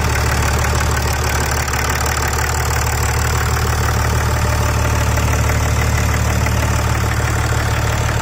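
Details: BMW X6 after repair, cold start: petrol engine idles with a steady low hum and no rattle, tapping or hammering; the earlier bad rattle was fixed with new hydraulic lifters, and the stretched timing chains were replaced while the engine was out.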